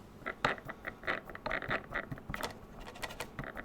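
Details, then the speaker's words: Brand-new stock motor from a Ranger 1600 FPV RC airplane, spun by hand out of the box: gritty, uneven clicks and scratches instead of smooth whirr; bearings rough, motor to be replaced. "you hear that those bearings are knackered out of the box but without question I'll be swapping the motor over"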